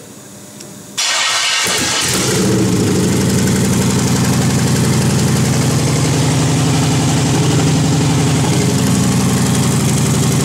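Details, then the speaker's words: GM 5.3 V8 on engine test stand, MicroSquirt fuel and spark, no header gaskets, idle air open: brief crank, catches within a second, settles into steady fast even idle, no knocks or misses; running well, idling high. "that's it it's working good"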